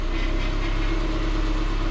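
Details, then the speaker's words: 2006 Subaru Forester after power steering pump fix (new O-ring), previously stiff when cold and noisy: smooth steady idle with no whine or groan as the wheel turns lock to lock, only slight noise at full lock. "you can see the power steering is nice and quiet get to get that typical noise when it's all the way over to the far side which i'm not concerned about nice and quiet it's nice and smooth from one side the other no hitching no stuttering no stiffness"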